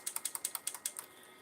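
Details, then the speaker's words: Xbox 360 unused for at least a year, running hot with fans ramping fast and light flashing: about ten sharp quick clicks in a second from the optical drive, then silence; tray ticks but won't eject, screen shows open, cause unclear. "I can't eject the drive it's not doing anything"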